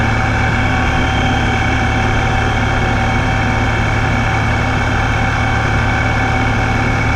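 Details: Ripp supercharger, owner suspects a bad bearing: a loud, steady, high whine over the low idle rumble that does not change pitch. It occurs at low idle and when crawling at low speeds, only when the vehicle is in gear.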